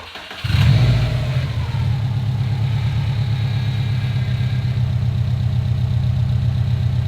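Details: 2015 Subaru STI with a rebuilt engine, restarted after a leak was cleaned up: it catches within a second into a steady, even low idle with no knocks or misses; the car runs great.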